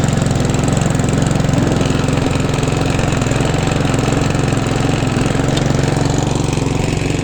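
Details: Hand-push petrol mower converted to self-propelled with another mower's gearbox and drive, freshly serviced: steady, even thrum at constant speed, no misfires, knocks or surging; normal running.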